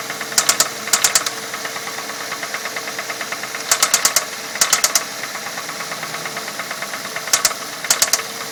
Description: 2006 Ford Fusion, 80,000 miles, 4 cyl. . Engine knocking sound. Curious if it is a valve issue or maybe the timing belt is slapping underneath and making that sound. any ideas.